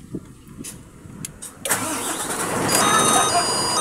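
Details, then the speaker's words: Howo 420 truck after diagnosing a no-start to a faulty starter solenoid: brief cranking, catches at about 1.5 seconds, settles into a steady rising run; clean start. "guys umandar na. Okay na siya. Sira yung starter."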